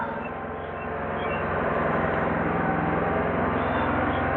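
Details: Craftsman 2300-watt gas generator, stored boxed for a while, fresh regular gas, started on choke then switched to run: small single-cylinder engine settles into a steady, even drone at constant speed, no misses or knocks; normal running.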